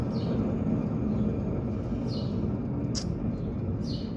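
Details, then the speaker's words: 1955 Chevy wheel with rotor spinning freely: low gritty rumble with faint high squeaks about once a second, a very dry wheel bearing causing the screeching noise; owner plans to pull the rotor and service the bearings. "i think that's the problem guys because the bearings are super dry"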